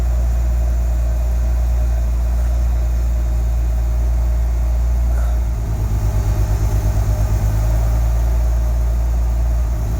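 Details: Nissan 300ZX Z32 VG30DETT twin-turbo V6: deep even idle rumble, no misses or ticking, cooling fan switches on partway as tested; healthy normal idle.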